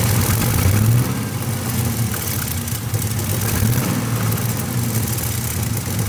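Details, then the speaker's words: Pontiac V8 restarted after an oil change with about half a quart of additive; rough, loud running with an uneven clattery beat over a deep rumble. Owner thinks the abnormal noise is top-end, and heard it shift from passenger to driver side. "now she's she's hurting guys that's not a good sound at all i mean not that any of my videos usually have a good ending anyways it's usually something broken um but that's something's not good um uh it still sounds like it's the top end"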